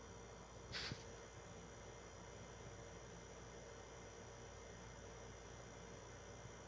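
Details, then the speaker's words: PS4 Pro 3rd gen 7215B running a taxing game's opening cutscene: soft, steady airy fan whoosh without whine, rattle or surging; not insanely loud, normal under load. "you'll be able to hear it's not you know it's not insanely loud because it's the third gen"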